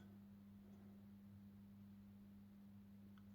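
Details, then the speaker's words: Rega Planar 3 turntable after a bearing sleeve fix and a new off-board motor mount, with the belt on: a steady, quiet low motor hum with no rumble or speed wobble. Lovely and quiet despite the noisy motor. "lovely and quiet and that's with the noisy motor that's pretty good"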